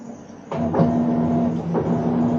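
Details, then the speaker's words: Whirlpool washer that kept draining and skipped wash cycles, with control board W11578827, running its button-triggered self-test with the water off: motor hum in short steady pulses, no grinding or knocking; normal self-test cycle. "Veremos cuando se apague eso es porque ya está."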